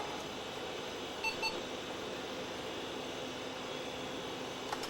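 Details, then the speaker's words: HP Vectra 486/33U PC at power-up after SCSI card removed and new hard drive fitted: a couple of short high beeps over quiet fan hum, system board error for configuration mismatch over the missing SCSI card, leading to EISA configuration utility. "oh it's making that noise there's an error board with the system or an error with the system board now that's kind of interesting"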